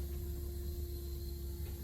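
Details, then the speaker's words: Engine off: the electric water pump hums steadily and runs continuously when it shouldn't. It should not start until 40 degrees. The owner wired it as instructed, but something else may be wrong; a new ECU tune is about to be loaded. "so fuel pump works and we can all we can hear is that the water pump just going all the time and it shouldn't be going it shouldn't start running until it gets to 40 degrees"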